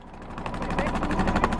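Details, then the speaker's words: 1978 Yanmar YSB8 single-cylinder marine diesel, revived after 10+ years in a flooded boat and shifted into forward and reverse with the propeller turning: even, rhythmic chugging under load with no knocks or grinding; engine working perfectly. "Oh yeah, we got reverse too. There we go. We got a perfectly working engine there."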